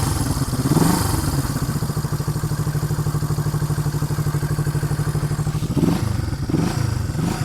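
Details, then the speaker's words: 1973 Honda CB250 K4 twin, mostly original and unrestored with pattern silencers, just started easily, idling: even quick putter, slightly tinny exhaust, no knocks or misses, steady beat like a sewing machine; healthy engine. "Sounds a little bit tinny with those exhausts. I think they're David Silver Specials. But if you could get in there and listen to that engine, that sounds like a little sewing machine. Doesn't that engine sound sweet?"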